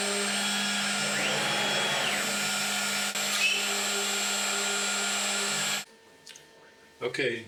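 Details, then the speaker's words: Oxman CNC, brand-new machine, drilling spoilboard pilot holes with a very sharp bit: steady high-pitched spindle whine that cuts off abruptly with no cutting chatter; the bit burns through the wood instead of drilling because the spindle was later found spinning in reverse. "this was more burning through the wood as really drilling. So I tried reducing the plunge rate and lowered the spindle RPMs step by step, as you can hear in the next sequence."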